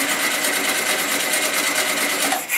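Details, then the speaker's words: 1974 VW Super Beetle, first start after engine rebuild and swap, fuel line reconnected and primed: fast, even starter whirring for nearly three seconds without firing; cranks but won't start, fuel likely not yet through the system. "it might take a little bit to get the fuel through the system yeah I'll prime it up a little bit again"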